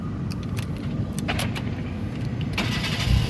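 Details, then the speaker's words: 2010 Kia Picanto 1.1 SE Cosmo automatic, about 110,000 km, started after checking oil, coolant and leaks: keys rattle, engine catches almost at once and settles into a steady run; healthy quick start, no hesitant cranking suggesting starter or weak battery. "Nah, mobil yang bagus dia nyalanya langsung jreng, seperti itu."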